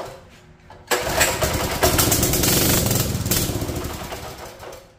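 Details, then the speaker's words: Free mini bike, sat an unknown time and probably cold: the pull-start spins roughly but never catches, not getting fuel; water was found in the carburetor float bowl, and the fuel valve has broken tabs. "she wants to just not getting any fuel in there"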